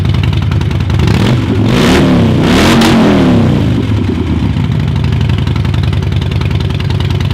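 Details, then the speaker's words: 2007 Harley-Davidson Road King with shorty exhausts, just over 44,000 miles, recently serviced: deep loping V-twin rumble, a quick rev rising and settling back to an even beat; normal running. "She's a great runner, recently serviced, and she's ready for the road."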